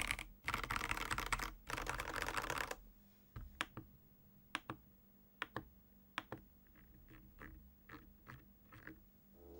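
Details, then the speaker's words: Ajazz AK816 75% wireless hot-swap mechanical keyboard with Gateron Pro Yellow switches: fast typing bursts and separate sharp clicks with faint ticking rattle on some keys from unclipped stabilizers, while lubed switches sound smooth. "so the stabilizers which are unclipped actually rattle from time to time so you will hear this kind of ticking or rattling some when typing"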